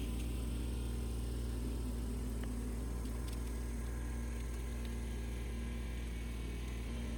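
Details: Ford 1210 diesel tractor at full throttle after fuel filter replacement and bleeding air at the injection pump: steady, low diesel drone with an even note, no misses or stumbles; normal running.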